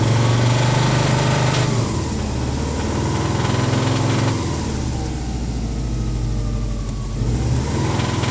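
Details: Subaru WRX: fast, uneven knocking rattle about three to four beats a second at idle and through revs, occurring at idle and 3-4k rpm; not exhaust, from around the engine, power fine, cause undetermined.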